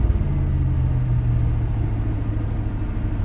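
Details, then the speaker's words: One-owner 1979 Chevrolet Scottsdale 4x4, carbureted: steady, fast idle with an even low rumble that never settles, because the choke isn't releasing; said to need only a small carb tweak. "yeah it's not coming off of its choke which is not a doesn't affect much at all it's just a little carb tweak"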